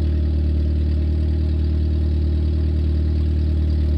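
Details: 1994 Nissan Sentra four-cylinder idling with the exhaust fully removed to fix a leak at the heat shield: a loud, raw, deep drone with a blatty pulse, straight out the manifold.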